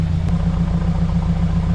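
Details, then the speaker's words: 2016 Subaru WRX (Copart auction car) idling after the no-start was traced to intake covers left on, blocking all air: smooth, even low rumble with steady beat, no hiss, suction change or misses; normal healthy idle. "But yeah, nice smooth idle and no suction and no change. Mass air flow sensor is plugged up. The engine actually sounds good."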